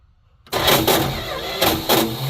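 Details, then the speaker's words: Neglected 1972 Plymouth Fury I with new points, cap, rotor, Autolite plugs and wires, gas poured down the carb: cranks with heavy surges but never catches; no spark suspected, starter seems to be failing. "Well, that's a major bummer. Wonder if we're even getting spark. Doesn't seem like it"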